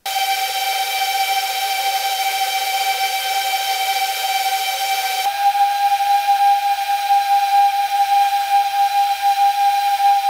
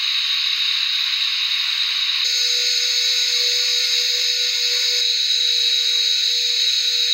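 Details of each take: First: Whoop brushless motors compared before and after oiling the bearings at the same throttle: a high, steady whine that steps up in pitch and smooths partway through. Higher pitch means faster spin, and less gyro noise was seen; dry motor bearings. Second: BetaFPV 1102 13,500 KV brushless motors on 1S in HX100SC quad, bearings throughout, tested for effect of bearing oil; high clean whine shifting pitch with throttle, no grinding or rattle, bearings smooth: normal brushless motor run.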